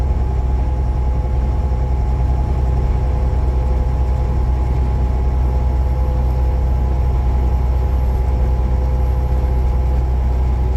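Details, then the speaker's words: Semi truck on the road: deep steady diesel drone with no whine; earlier whine absent, which indicates no leak. "I don't hear that whine at all. Boy, that feels good."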